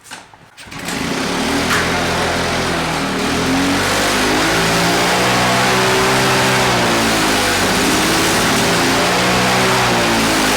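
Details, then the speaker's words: Victa two-stroke PowerTorque mower after replacing the ignition coil to cure no spark: buzzy engine running steadily at high revs with a wavering, rattly edge; owner suspects a loose blade, not confirmed. "pull and it sounds like we've got a bit of a loose blade there but as you can see we've got this Victor two-stroke back to a running condition"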